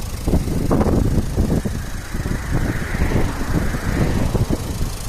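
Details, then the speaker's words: Renault Clio Estate 1.5 dCi diesel idling before hydrogen decarbonising, no warning lights but many stored faults: an irregular, random knock over the low rumble. Injector knock suspected, diagnostics to follow. "alors je sais pas si on arrive à entendre sur la vidéo mais on entend un claquement d'injecteurs voilà c'est pas si plat bien entendu donc c'est aléatoire mais il est quand même présent"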